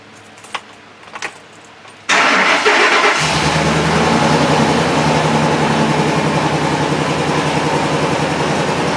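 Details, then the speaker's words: 2008 Ford F-250 5.4 3-valve V8, 28,000 miles, runs rough after customer tune-up: cranks, catches, settles into an uneven loping run with a missing beat; cylinder 8 dead. "I don't know if you can hear it but it's it's running pretty poorly"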